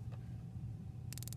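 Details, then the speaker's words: Vernier LabPro motion sensor collecting data: crisp, rapid, evenly spaced ticking of about twelve clicks a second over low room hum as the sensor pings; normal ticking during data collection. "for the motion sensor you're going to start to hear like a ticking noise and that is the echolocation happening"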